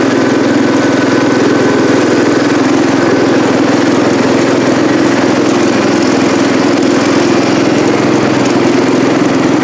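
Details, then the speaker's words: Cub Cadet 108 single-cylinder engine, driving up to the shop: steady chugging with no misfires or stumbles; runs normally, though carb float sticks and drips fuel after shutoff. "all right all right y'all there you have it got it running got it running up through the driveway here or up to the upper shop here"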